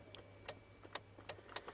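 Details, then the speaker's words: VW Golf with no start and no instrument cluster, key held in crank: starter relay clicks sharply, about five in two seconds, with no starter motor turning; terminal 15 relay not switching, lost live to relay switch side. "Right, just because I can hear the starter relay clicking,"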